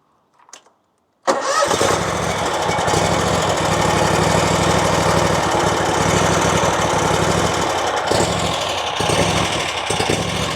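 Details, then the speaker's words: RedMax zero-turn mower with a Kawasaki twin-cylinder engine, after carburetor cleaning and fuel system repair: engine starts and idles low with an uneven, loping beat that rises and sags, surging at low speeds. "but it has developed another issue where now it's loping at low speeds."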